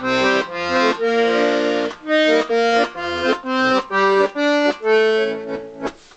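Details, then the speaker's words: Vintage Scarlatti 24-bass accordion after tuning the bass-side reeds and tightening a loose reed rivet: bass notes and chords sound clear and steady, with no buzz or rattle. "base side that sounds nice"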